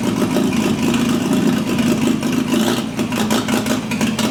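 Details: GAZ-69 first drive after rebuilt engine, gearbox and transfer case: settles into steady even idle with light regular clatter, no knocks or misses; runs healthy.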